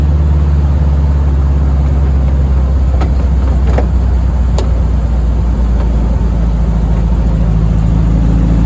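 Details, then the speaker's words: VW-based Deserter GT dune buggy on a test drive after replacing the noisy throwout bearing, pressure plate and disc; deep steady engine and road rumble, a few light clicks, previous rattle and clutch-pedal noise gone; normal clutch operation. "All right. So, the rattle's gone. Um, and the noise when I step on the clutch is gone, too."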